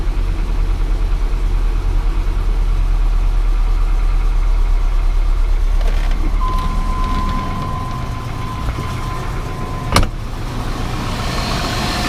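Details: 1998 GMC Sierra 4x4, 5.0 305 Vortec V8, first start after new spider injector, plugs and wires and oil cooler delete: fast busy idle well above normal that never settles; existing high idle not fixed, owner wonders if the spider injector is the cause.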